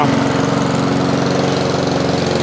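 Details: Honda mower after carburetor refit: steady, even single-cylinder putter at fast idle with no misses or knocks; running smoothly and healthy.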